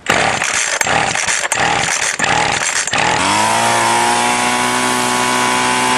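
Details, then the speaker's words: Salvaged two-stroke string trimmer after the limiter caps were removed and the high screw set at full throttle, slightly rich: it sputters at first, then settles into a steady, even high-revving buzz. Normal running. "so I messed around with the adjustment screw and got it running right"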